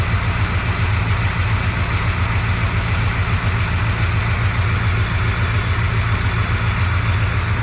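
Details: Chevy C20 Squarebody V8 run after sitting for years, fresh oil, warming up (about 140°); deep even idle rumble, apparently all eight firing, no knocks, much quieter than with old oil though still smoking.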